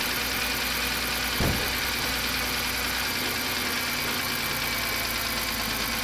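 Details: BMW 328i E90 first start after swapping in a used N52 engine: steady, even idle with a smooth hiss on top and no knock or miss. The engine sounds good, with a noisy power steering pump still to be bled.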